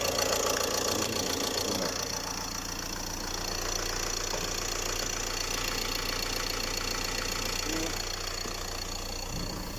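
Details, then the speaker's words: Ford Transit 2.2 diesel, 62,000 km, after warranty replacement of the short block (first connecting rod had broken): quiet, even idle with steady beat and no knocking or rattles. "Так, все, машина собрана, заводим. Все. Заебись, отлично. Тишина. Новый блок."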